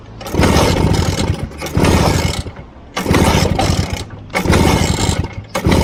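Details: 1963 Vespa VBB scooter that rattles at idle and won't start once warmed up: repeated cranking bursts about every 1.5 seconds that catch briefly and die; hard hot starting, cause unconfirmed.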